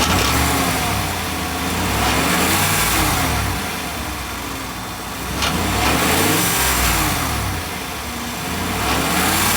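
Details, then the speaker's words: Clunk on cold start and light acceleration, recorded under the vehicle: a loose metallic rattle comes and goes without tracking engine revs, so not an engine problem; traced to a loose exhaust clamp. "It sounds more like a rattle. It's not consistent with the engine rev."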